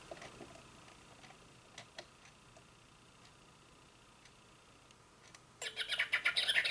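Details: Singing bird clock after movement replacement: near silence, then bright electronic bird chirping repeats quickly; hourly chime working properly.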